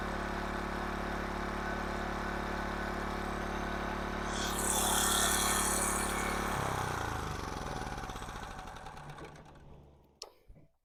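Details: 1500 W King Canada generator with Chinese petrol engine, bought as a non-runner with suspected carburettor fault; after repair and speed adjustment from 71 Hz/190 V, even steady hum then smooth wind-down as carburettor runs dry; running normally.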